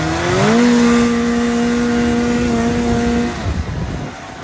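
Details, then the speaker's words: 1985 Yamaha XL-V 540 race-build sled, two-stroke, warm, 0.6 in lug track lacking traction on snow: crisp rev climbs quickly, holds a clean steady pitch, drops back smoothly without misfire or stumble; normal revving. "Yeah, if I had traction, this thing would be really quick."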